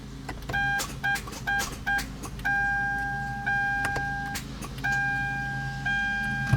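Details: 2012 Kia Soul 2.0L that suddenly stopped starting: key turned gives only sharp clicks under the dash chimes with no cranking; weak battery cannot turn the starter.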